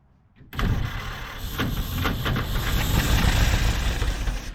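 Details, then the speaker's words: 1946 Jeep Willys CJ-2A after sitting for years: cranks briefly, catches at once into a rough but continuous low rumble until it runs out of gas; carb judged okay for now; normal start and run. "it will run and it's actually tried to run off the gas and I think the Corb will be all right for now"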